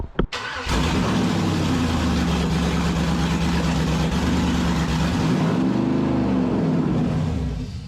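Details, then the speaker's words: 1948 Dodge pickup with LS (5.3) swap, first start after replacement injectors fitted and programmed: cranks, catches, runs an uneven smoky idle about seven seconds, then sags and stalls; something left unplugged like the mass airflow sensor is suspected. "Not sure why it died. Smoky! Oh, get some fresh air."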